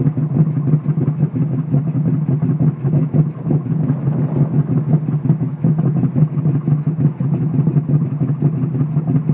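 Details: Ford Mustang at idle and rev-up: choppy, lumpy idle with uneven stumbles in the exhaust beat and a rough rev-up; an engine misfire, not just an aggressive cam.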